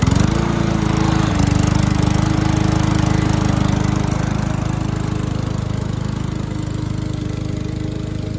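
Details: Curbside-rescued MTD mower cutting grass after an engine-speed increase and oil change, still with no air filter; steady drone with a clear blade tone and even speed while cutting; owner suspects earlier smoke came from tipping and overfilled oil; normal running under load.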